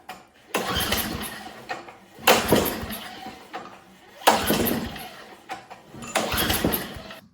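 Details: Older Tecumseh snowblower engine, not started since it came in, fuel present, full choke, full throttle, primed: repeated pull-cord cranking about every two seconds with no firing. It cranks but won't start.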